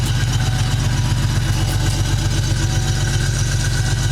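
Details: Ford Mustang V8 idling with an uneven loping beat and missing pulses: misfire (P0300) from a vacuum leak at an unattached intake manifold hose; aftermarket ignition coil, wires, plugs and shorted O2 sensors also faulted; since fixed.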